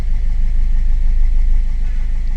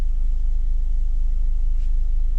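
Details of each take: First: 2015 Ford EcoSport diesel (stated as 1.4 and as 1.5 L turbo) with the malfunction light on and a pickup problem: a low idle with an uneven, lumpy beat and vibration; fault code injector 3 circuit open, a dead cylinder causing the misfire. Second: Ford EcoSport 1.4 diesel after a fault was repaired and connectors refitted: the malfunction light is gone and the DTCs are cleared; an even, steady low thrum with no missing or vibration, a smooth healthy idle.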